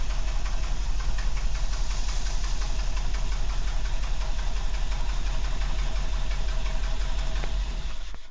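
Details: Renault 12 estate engine: irregular tapping of about three beats a second over a low, rough idle; unidentified engine noise, cause unclear.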